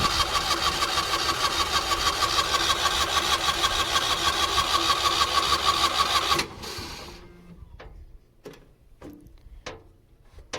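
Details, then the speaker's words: Engine-driven welder that has fuel, spark and air: steady fast cranking, about three strokes a second, never catching; later started once fuel began flowing but still hard to start; cranks but will not start. "welder won't start it's got fuel it's got spark it's got air i don't don't know what's going on"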